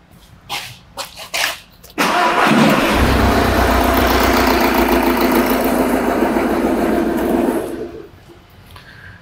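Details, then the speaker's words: Engine idling with an uneven, lumpy beat after the number four injector was disconnected to induce a misfire during a crankcase pressure test with a pressure sensor in the dipstick tube; misfire clearly audible. "can clearly hear the misfire there let's just step back through the buffer"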